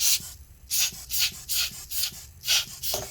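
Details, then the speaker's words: MSI GS73VR 6RF Stealth Pro laptop fan turned by hand after dust cleaning: dry rasping scrape in repeating bursts, about three a second, fan getting stuck on something; the other two fans are okay. "This one, I don't know why it's getting stuck on something."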